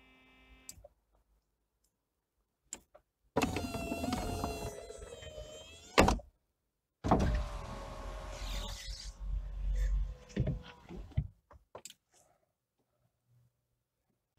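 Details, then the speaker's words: Porsche 911 996 phase 1 Cabriolet after topping up the convertible-top hydraulic pump fluid and replacing the top: two runs of an even, quiet, dull, continuous motor hum with no shrill squeal, and the top moves smoothly; normal pump. "Je ne sais pas si vous l'entendez, mais le bruit est nettement différent, beaucoup plus fin."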